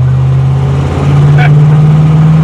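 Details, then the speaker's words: 1966 Pontiac Tempest 326 V8 after swapping old 2-barrel for Holley 750 double pumper four-barrel on dual-plane intake, under full throttle: deep, strong V8 roar swelling smoothly with no stumble or misfire; normal acceleration. "oh man that thing feels good now ring deep man it propped this thing alive that is crazy right there"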